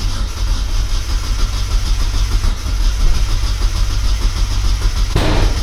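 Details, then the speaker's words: Turbo Miata not driven for a while, battery about 11.7 V, tuning the cranking fuel modifier: long starter crank with uneven chugging and no firing, no longer hitting the earlier heavy spot; owner unsure of the cause and fears flooding. "It's not even trying now. Well, I didn't hear it do that heavy um rotation. I didn't hit a heavy spot."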